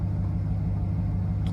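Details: 2007 Cadillac Escalade V8 idling smoothly: steady low rumble with an even beat, no knocking or ticking on top. The vehicle has an ongoing no-start/no-crank issue with flickering lights; the owner suspects the BCM module.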